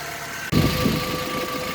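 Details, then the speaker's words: 2003 VW Beetle 2.0L AVH, 77,000 miles, EVAP small-leak code P0456: cold start settles to an even steady idle, no misses or hunting; no vacuum at the purge valve line when cold, as expected. "Okay, so with the car running on the cold start, it's cold, I got no vacuum. That's good. That's how it's supposed to be."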